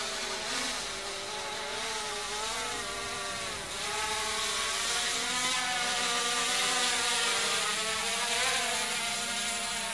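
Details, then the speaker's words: Xiaomi Midrone 4K drone after motor maintenance, in test flight at about 30.5 m altitude: smooth high rotor whine that rises and falls evenly with throttle, no rattles or grinding; working perfectly. Normal motor operation. "estamos aqui há 30 metros vírgula cinco o drone certinho gente funcionando belezinho"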